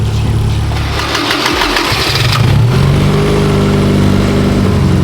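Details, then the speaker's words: Engine with individual throttle bodies just synced for even vacuum: a quick rev settles into a steady, even idle hum with no lumpiness, sounding stock. Normal smooth idle after ITB balancing. "You hear how smooth the idle is now? Like just sounds like a stock car."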